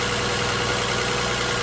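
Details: 2007 Toyota Highlander 3MZ-FE engine rattle at idle: steady idle with a fine, even rattle and no clear single knock; owner wonders about an exhaust leak, cause unclear.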